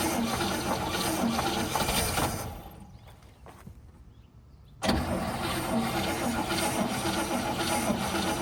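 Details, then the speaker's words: 1959 Cadillac flattop sat for years, first start attempt with nothing done but cleaning, fluids good, battery charged: catches and runs briefly, sags nearly silent, then cranks and roars back; carburetor possibly not full, fuel starvation suspected. "All right, she's running. She ran for a second."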